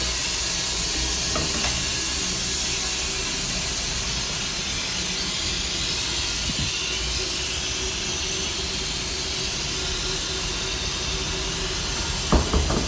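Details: Loud, constant rushing water noise from a multi-storey car park, running nonstop for 24 hours and still loud at 7 a.m.; an unbroken hiss with a faint hum; cause unknown.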